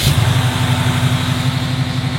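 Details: Barn-find Camaro with a carburettor and electric choke, started after fuel was added: it cranks briefly, catches at once and settles into a steady, even low idle with a regular firing beat; a healthy start.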